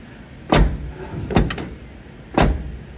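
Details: 1977 Dodge D100 door after adjustment. Three solid, clean thuds with no rattle as the door latches firmly. Normal door closing.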